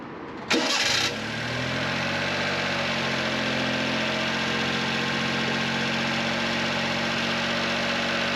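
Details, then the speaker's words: Honda Beat started after the alternator belt was re-tensioned with its adjustment nut: a brief starter whir, then a steady, even idle with no belt squeal, confirming the fix. Normal start and idle. "The squealing of the belt was successfully fixed, but I will tell you more about this at a later date."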